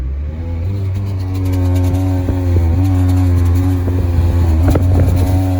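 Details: 2010 Nissan Versa at 114,000 km, sputters under hard acceleration while driving: drone rises with choked chugging whoosh, chattering, like intake leak or transmission slipping; found to be clogged catalytic converters restricting exhaust.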